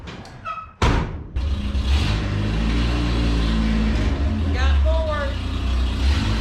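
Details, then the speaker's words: Mini truck pulling away: a loud, raw, blatty low rumble swelling under load from an exhaust leak, with some exhaust at the rear rattling. "right where i was sticking that and it's getting blown around where the exhaust leak is she's bad uh sounds like some of the exhaust at the back's rattling now"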